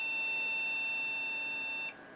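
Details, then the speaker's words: HP Pavilion a6110n PC at power-on: one long, high-pitched beep, then silence. This is a startup error code; research suggests a memory problem, possibly PC2 RAM that is too fast (suspected, not confirmed). "Okay, doing a bit of research suggests that the error code I was getting is a memory problem."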